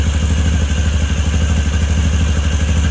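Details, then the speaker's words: 2013 Can-Am Maverick 1000R at idle with the check engine light on: loud, deep idle with a rough ticking clatter about three times a second that goes away when revved, attributed to the noisy primary clutch. Ticking at idle. "This clutch also makes quite a bit of noise. It's pretty loud. You can hear that like ticking noise. That's just the primary clutch."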